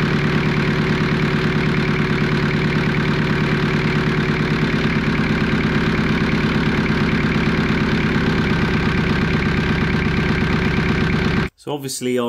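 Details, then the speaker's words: Jeep XJ 2.5 turbo diesel with mechanical injection pump, just started and pump indexed: diesel clatters at a fast, steady, even idle; idling high, fuel screw needs winding back. "with the fuel screw now, and you'll hear that it's idling a bit high."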